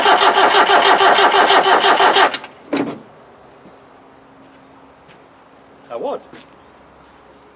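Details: 1991 Land Rover 90 ex-military, 2.5 naturally aspirated diesel, non-runner, cold start possibly not working, starting fluid sprayed in: steady, even cranking about three beats a second for two seconds, never catches; diesel turns over without firing.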